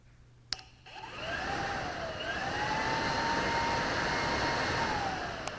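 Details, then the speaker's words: 2010 Yamaha R1 radiator fan, fans glitching and overheating in traffic: jumpered directly red to brown with bell wire, a click then a smooth whir spinning up and holding steady; fan motor itself works, fault lies elsewhere in the electrical circuit. "You can hear that kick in. So I know my fans aren't shot because that tells me that they're fine."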